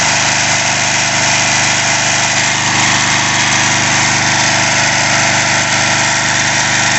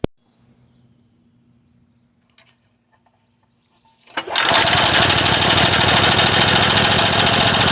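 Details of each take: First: Craftsman 3.5 hp edger/trimmer that had started then stopped, after a carb clean and mixture-screw adjustment with a tachometer; steady, even buzz with no hunting; normal idle. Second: Craftsman 3.5 hp edger/trimmer that starts then stops: quiet, then a harsh high rev that keeps running but uneven and ragged, showing a partial carburetor blockage; fixed by carburetor cleaning.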